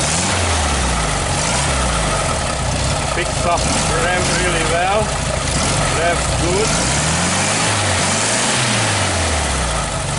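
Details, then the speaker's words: 1969 VW Beetle 1500cc air-cooled flat-four idling shortly after a cold start on a bit of choke, started on the third try; even, steady low chuff with no misses or knocks; normal idle. "I just love this sound the air-cooled Volkswagen sound is music to my I don't know what do you think"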